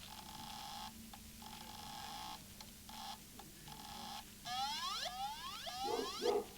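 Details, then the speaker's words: PowerBook 540c with corrosion from exploded batteries, first power-on after chime: faint electronic tones, sweeping chirps and buzzing pulses from the hard drive instead of clean spin-up; drive suspected faulty, not confirmed. "all right we get a chime that is a good sign um but we're getting a funny noise from the hard"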